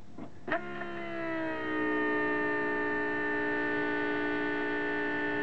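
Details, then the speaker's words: Citroën Picasso diesel after the in-tank pump was replaced with an external inline 3.5-bar pump: a clean, steady electric whine for a few seconds at ignition-on, then it stops. The pump is priming normally. "There's a pump priming itself."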